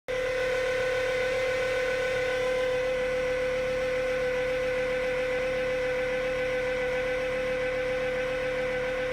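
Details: 2012 Fiat 500: constant mid-pitched whine over idle, intermittent and worst when damp, continuing after belt replacement, unchanged by HVAC, lights or steering, battery light on; owner suspects alternator; engine whine, source not confirmed.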